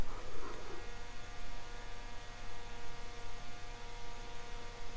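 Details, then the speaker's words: KNSTAR FP-319U retro radio cassette player, nothing playing or volume down, on battery or mains: low steady faint hum/buzz from the speaker, heard with mic held near the unit; buzz disappears once volume is turned up. "It's, when you've got nothing playing or the volume down, you've got this slight buzz coming through."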